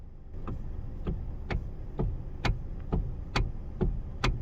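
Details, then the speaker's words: Hyundai/Kia electric power steering with the steering wheel rocked: sharp knocks about twice a second from a worn plastic steering flex coupler, which is then replaced. "This little $5 plastic part wears out and looks like this, and then gives you that steering clunk."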